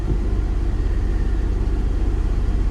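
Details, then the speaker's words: Copart auction vehicle, warmed up with heater on: idle holds at about 1500 rpm, higher than it should be, a steady rumble that never settles. Inspector suspects an idle air control valve; probably not a major issue. "one thing i have noticed is the rpms are not coming down to where they should"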